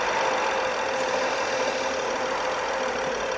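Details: BMW 5GT 3.5 gasoline with check-engine light, shaking and loud noise: steady idle with faint hiss and slightly wavering beat when the vacuum leak is demonstrated; after repair it runs quiet with no shake.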